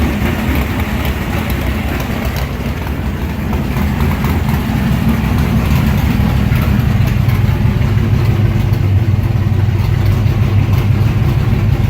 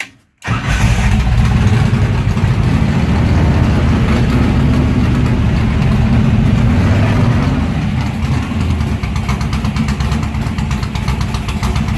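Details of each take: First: Car with mechanical fuel injection, start after priming attempts: starts easily and idles right away with a deep, slightly lumpy but steady rumble, no stumbles or misfires. It will idle like that all day. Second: Warm engine with mechanical fuel injection at the end-of-day shutdown: fuel is shut off and it is left idling until it runs dry. It starts loud and rough, then the beat weakens and turns uneven as it starves of fuel and stops.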